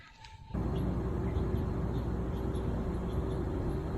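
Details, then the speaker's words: Running farm machine during corn harvest: faint high chirps repeat several times a second over a steady drone; the belt-tensioning idler pulley bearing is going out and the pulley has some wobble. "You can hear a squeak up there. There's kind of a idler pulley that keeps the belt tight. It's not terribly important, but bearing's going out and there's some wobble to it."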